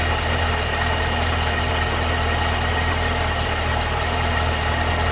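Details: 2012 Cadillac CTS-V at idle: a steady idle with a light, quick ticking of roughly two or more per second over the engine drone; ticking/knocking at idle, source unidentified.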